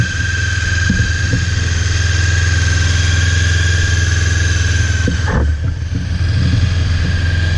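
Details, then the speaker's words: Honda CB 500 (499 cc), first start after six months of winter storage, battery freshly charged, started on full choke: steady, even low burble at idle with no knocks or misses; it runs pretty well; normal idle. "it runs pretty well"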